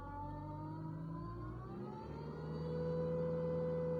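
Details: 2003 Mitsubishi Outlander, first generation, 4G64 2.4 L petrol, 142 hp: a steady droning hum over the idling engine, present for three years. It was traced with a stick to the AC compressor clutch pulley bearing; earlier suspicions were the exhaust manifold and, from forums, the power steering.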